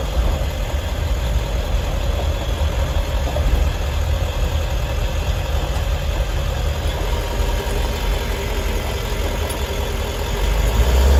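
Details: 7.3 Powerstroke van while driving, microphone by the engine doghouse. A deep diesel drone with a loose, tinny metallic rattle that comes and goes and stops on acceleration. It also shifts strangely; the cause is unknown.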